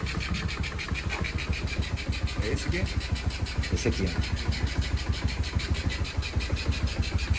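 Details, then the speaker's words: Solta aí para ver salta muito lento Muito lento agora deu lenta perfeita "Solta aí para ver salta muito lento Muito lento agora deu lenta perfeita"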